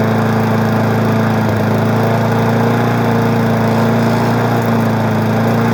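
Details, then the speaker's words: 20-inch mower's small single-cylinder engine running smoothly at a steady, even drone with no stumbling or rattle after its wake-up; unlike the owner's vibrating Murray, this one doesn't shake. Normal running. "Well, the two easy ones are woken up. I'm gonna tell you the truth, this one doesn't shake."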